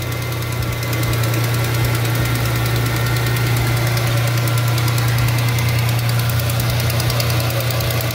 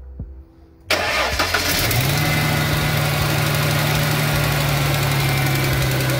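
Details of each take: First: 2003 Ford Mustang V6 at idle right after a spark plug change: smooth, steady idle with a light, quick ticking puff from a small exhaust leak. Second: 2003 Mustang engine after a spark plug change with the air intake hose refitted: it cranks, catches at once and idles smoothly, with only a slight exhaust leak audible.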